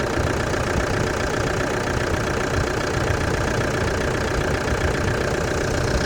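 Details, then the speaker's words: Truck-camper engine at idle after an air filter change: a steady, even idle with a smooth low rumble and no squeak or knock; the engine is running cleanly, a normal idle. "Sounds good, no squeak. Air filter's been changed as well, so that's good."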